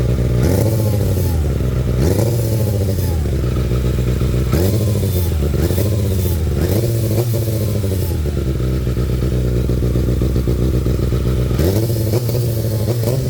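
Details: Kawasaki ZX-6R with repeated throttle blips: a rough, gritty grinding rasp swells with each rev and fades at idle; the source of the grinding is unknown.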